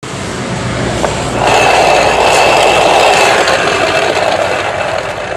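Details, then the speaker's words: Yamaha NMAX final drive (gardan) whine heard before teardown: steady grinding whine rising with road speed, noisy from about 40 km/h up; inspection found a badly worn shaft bearing and unstable, scored, worn gears. "Yamaha nmax yang mengalami suara new suara yang ini seperti suara mendesing pada bagian gardannya"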